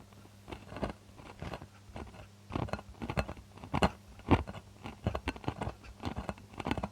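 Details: Celestion Ditton 25 loudspeaker, T1600 woofer after 28 years in storage, microphone right at the woofer while pressing the passive radiator: gritty, irregular scratching bursts with each cone push, from the voice coil rubbing.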